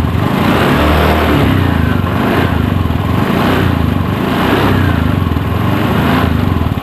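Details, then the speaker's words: Honda Beat ESP scooter idling during a charging-system check, multimeter on the battery reading 14.2 V, which is normal charging; low even putter with no misses or knocks. "Itu masih normal ya, itu masih 14,2 ya saat langsam tuh, berarti akhirnya ini masih normal ini."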